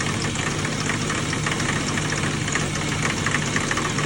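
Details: BMW E36 M3 at idle: fast, somewhat uneven metallic clanking/knocking over the engine note; knock source not identified.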